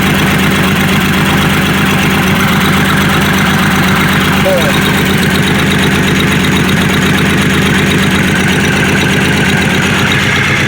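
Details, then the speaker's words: Grand Prix after exhaust work: rapid, even puffing tick over steady idle, sharper than normal, exhaust spitting out; exhaust leak still present, though quieter than before. "Definitely still sounds like there's an exhaust lead. It's actually spitting out exhaust now though."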